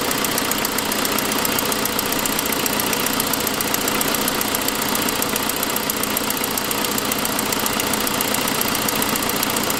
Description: It turns out the reason for what you hear here is that the forwardmost exhaust stud had broken (fairly common) and what you're hearing is an exhaust leak.